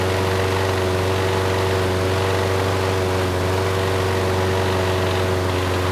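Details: Craftsman mower, Briggs Quantum 128T02 single-cylinder, after removing a nest and fixing the choke vane: a steady, even idle with a smooth drone and no misses; the choke now turns off and it runs well, with only a slight occasional stutter.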